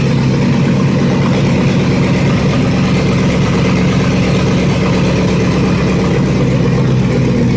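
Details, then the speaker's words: Vortec V8 in a Yukon frame for an International pickup body swap, first-ever test fire on an aftermarket Chinese wiring harness, booster pack: loud, steady, deep even rumble with no knocks or misses; fires right up and idles cleanly. "Wow, it runs. It sounded okay, Terry? Yeah, sounds good. Yeah, sounded good. It fired right up."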